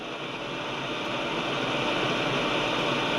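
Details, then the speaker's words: Grundig Satellit 800 returned over a reported chugging noise, tuning up the band: even hiss that swells slightly, no rhythmic chugging or pulsing; normal receiver noise floor, fault not reproduced. "I'm really not I'm hearing a noise floor but not now as I go up you I I'll probably hit another station here in a minute"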